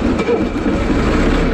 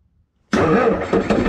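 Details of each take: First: Bobcat skid steer loader with Kubota V2203 diesel, starting after starter-circuit voltage drop testing for an intermittent no-crank, glow plugs used: steady idle with an even clatter of about four beats per second and no misses or stumbles; runs great. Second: Bobcat skid steer loader with an intermittent starter fault, during starter circuit voltage-drop testing: sudden loud whirr with no cranking rhythm or compression pulses; the starter spins without engaging the engine, bad starter suspected.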